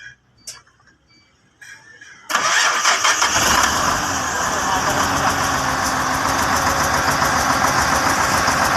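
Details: Hino P11C diesel after its no-start problem was fixed: quiet lead-in, then the engine catches at once and settles into a steady, even idle with no knocks or misses.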